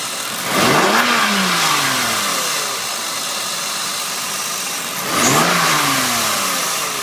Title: E36 1996 328is hissing noise.